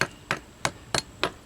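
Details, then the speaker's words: Old concrete foundation being checked before patch repair: six sharp hammer taps about three per second, each ringing dull and papery rather than solid, marking hollow, bad concrete to be removed. "So all we're doing, we're looking around for some bad spots. This is all hollow,"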